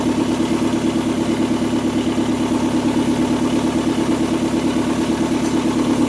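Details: 2002 Kia Sportage brought in for misfire, after valve cover gasket and spark plug job, idling with exhaust pipe not yet installed: loud raw idle with rapid puffing and buzzy drone from multiple exhaust leaks, fumes filling the room.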